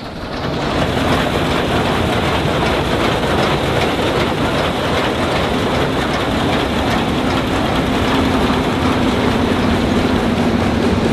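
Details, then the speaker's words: Old Claas Matador combine with six-cylinder Perkins engine, threshing unit running empty without crop: busy, even clatter of chains and drum over deep engine drone; normal rattle that quiets once material is drawn in. "man hörte erst ein bisschen klappern aber sobald er sich was ein zieht wieder so wie vor ruhig ist ja klar die ganze ketten alles einzug der läuft jetzt quasi trocken also ohne material"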